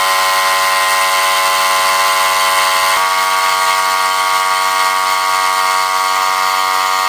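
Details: Small air compressor after a temporary repair of its leaking pressure-switch rubber diaphragm with bicycle inner tube: constant high pump drone with even pitch and no hiss or stumble while building pressure; it runs normally.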